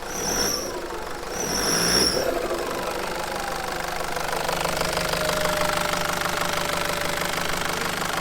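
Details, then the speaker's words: Nissan ZD30 diesel clattering at idle after belt tensioner replacement, started while belt was wet: two short high-pitched chirps, a squeak rather than the former squeal, from the wet drive belt; a new belt to be ordered. "It's definitely improved. Like, that's a squeak, not a squeal. Mhm. That's wet belt. Yeah. That sound like wet belt."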